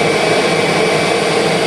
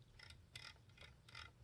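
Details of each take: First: 2001 Kirby G6 vacuum with upgraded transmission, test run after new bearings were fitted: motor runs at full speed with an even, steady whine, then switches off and spins down smoothly; the earlier brush/commutator noise has cleaned up a little. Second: 2001 Kirby G6 vacuum motor after new bearings: dry ratcheting clicks when fan is turned by hand in normal direction, carbon brushes not seating on the commutator; owner plans to use a seating stick.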